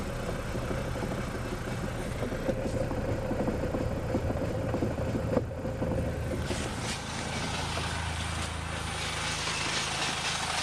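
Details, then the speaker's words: Geo Metro raised with wheels spinning in gear: irregular knock under the engine drone, felt through the floor, varies with wheel speed and occurs in neutral; not engine or transmission, owner suspects axles or brakes. "it's not as even now as it is on the road but I'm still hearing that same sort of Knockin I can feel it through the floorboard"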